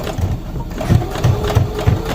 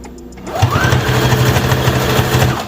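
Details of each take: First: New CS6000i sewing machine sewing slowly at low speed, light pedal: dull knock about three times a second in step with needle strokes, thread breaking at higher speed; unexplained knocking, owner unsure if normal. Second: New CS6000i sewing machine at its highest speed setting. A fast, even needle chatter with no knocks or binding: normal high-speed operation.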